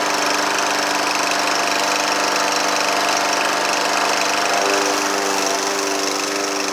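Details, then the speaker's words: Troy-Bilt TB110 push mower, Briggs & Stratton 550EX, came in with no start after the owner thought he had hit something. After valve adjustment it runs on its own with a steady, even buzz, no pops or backfires; the carburetor problem (choke shaft missing butterfly) is still to be fixed. "Alright guys, sorry about that. Seems to be running, so now we'll address the carburetor problem."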